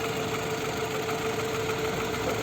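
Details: Toyota Camry (30 body) after engine repair, with error codes present, at idle: busy rattly clatter and faint steady whine; complaint of abnormal noise and lost power after repair, cause unconfirmed.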